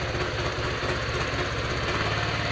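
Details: Honda Vario 125 FI scooter starts after wiring/electrical work: the MIL lamp blinks and it fails at first, then it catches and ticks over at a steady, even idle with no misfire or stumble; runs healthy.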